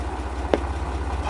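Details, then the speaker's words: 1968 MGC after fitting new eBay HT leads: low steady idle with a sharp pop through the Bluetooth speaker audio; electromagnetic interference, absent with the old leads, suspected from under-shielded leads, traced to the coil-to-distributor lead; fixed with copper sleeving. "That didn't happen with the old HT leads, but it happens with these new ones. So I think they're just they're not shielded enough, and they're causing some electromagnetic interference with the wiring somehow of the audio system."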